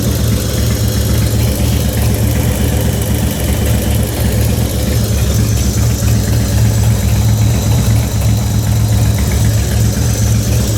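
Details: 2004 Harley-Davidson Softail FXST, almost 10k on the engine and ridden hard (burnouts, high rpm, downshifting), idles with a deep uneven V-twin thump and a light ticking over it; ticking began after a recent fluid change to HD Syn3 in all three.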